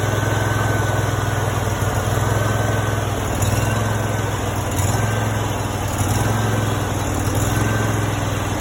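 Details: Brand-new Honda GX630 20 hp V-twin, 0 hours, just after first start: steady even drone at fast idle with no skips, rattles or knocks; healthy new engine running cleanly.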